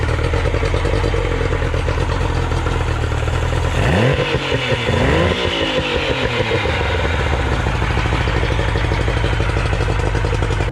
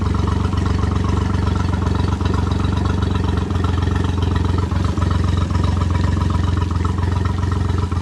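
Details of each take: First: Outboard motor after adjustments, running: smooth steady note that rises cleanly on a quick rev and settles back, with no misses or clatter. Normal running. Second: Three-cylinder outboard after a new oil filter, three new plugs and fresh oil: lumpy, uneven putter at low speed, running on two cylinders. Top plug showed rust and water, owner suspects a head problem. Misfire.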